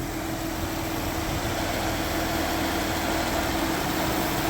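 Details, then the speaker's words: Springfield Coach limo with a 3.6 L V6 after the belt was rerouted to bypass a pulley that caused a squeal: smooth, even idle hum and steady low rumble with no chirp or squeal; normal idle, belt noise fixed. "I don't hear anything. Look at that."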